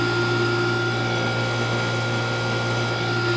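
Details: Outdoor AC condenser runs normally with a steady low hum, constant tonal drone and fan whoosh after a hard start kit was added and weak run capacitors replaced (fan read 5 of 10, compressor 35 of 40); original complaint was outdoor unit failing to start.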